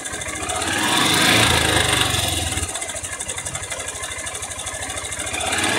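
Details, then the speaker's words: A 660 motorcycle single revs then settles, with a fast light rattlesnake-like knock about four times a second over the engine; the top cover was already opened to inspect, and the cause proved different from first thought; early piston slap. "Eu quero que vocês diga para mim que barulho é esse, o que que tá batendo nesse 660. Já vai colocando aí nos comentários. É tipo um barulho de cascavel, tá?"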